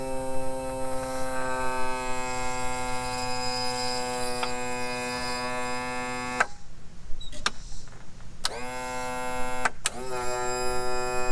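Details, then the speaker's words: 2000 Yamaha 60hp outboard tilt and trim pump after adding ATF+4 fluid, fixing the positive battery lead, tightening a loose mounting bolt and closing the open manual release valve: steady electric motor whine cycling in short runs without straining, no leaking; trim now working normally. "see we didn't have any running out that's good it means it's working"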